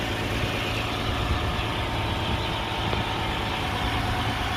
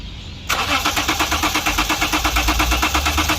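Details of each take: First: 2011 Lexus IS300 after crank-no-start repair (fuel not reaching engine), no engine light now: steady, even idle hum with no misses, knocks or hunting; normal idle. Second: 2011 Lexus IS 300, customer complaint no start: starter cranks the engine evenly, about three pulses a second, but it never fires; fuel gauge shows petrol yet pressure gauge reads zero fuel pressure.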